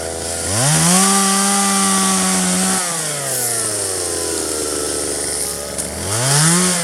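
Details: 1997 Poulan 2150 chainsaw, 23 years old, owner guesses 2.1 displacement; warm, just run; dull chain cutting box elder tops. Revs cleanly to a high steady scream in the cut, drops back smoothly and picks up again; normal cutting.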